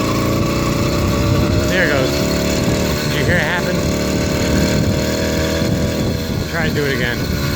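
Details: 80cc two-stroke motorized bicycle with stock carburetor, cleaned: revs in uneven blubbering bursts and never reaches its power band; rough running, over-rich mixture, later cured by a performance carburetor.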